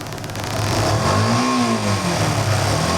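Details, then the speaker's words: Yamaha FZ-S motorcycle after a complete engine rebuild: revs up cleanly and settles back smoothly with no tapping, rattle or knock under throttle; the earlier start-up noise is gone and the engine is smooth. "చూసారా? చాలా స్మూత్గా ఉంది engine అయితే."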